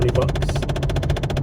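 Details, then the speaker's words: Car interior while driving home: fast, even tapping, about ten per second, from behind the dash. It comes on randomly and briefly; suspected temperature-control (blend door) actuator under the lower dash or glove box. "and what that does is it controls the temperature and it doesn't stay on long but it does come on randomly"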